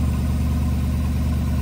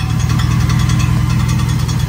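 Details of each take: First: 2009 Chevrolet Silverado 4.8 V8 after starter replacement: deep, steady idle with even low rumble, no more clicking or tapping; the bell-housing tapping came from the worn-out old starter hitting the flywheel. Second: 2009 Chevrolet Silverado 4.8 V8 at start-up/idle: light metallic tapping two or three times a second, seemingly from the bell housing, actually the starter drive falling forward and striking the flywheel; common on leveled or lifted trucks; fixed by replacing the starter.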